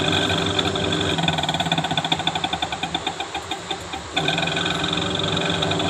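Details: Panasonic Active Foam 8 kg washing machine, empty drum on spin: rapid uneven knocking about four a second over whirring hum. Noise during spin, gearbox and motor being checked.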